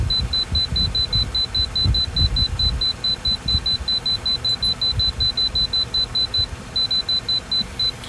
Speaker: when you want to change your temperature you press and hold this down that gets you in the mode to be able to edit the menu